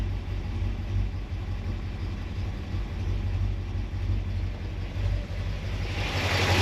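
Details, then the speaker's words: 1976 Corvette V8 after fixing several binding roller rocker trunnions and replacing the valve stem seals, not yet warmed up (gauge just over 100°): a steady, low idle with light, even mechanical clatter. Valvetrain noise is now normal. "yet that sounds like normal valve train noise mechanical"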